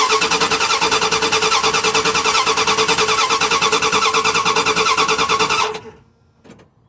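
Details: Dodge Ram 1500 5.2L that shut down while driving: steady, even cranking about three turns a second for over five seconds, never catching; crank, no start. No spark suspected, but the ignition coil then showed spark; the wire to the distributor is checked next.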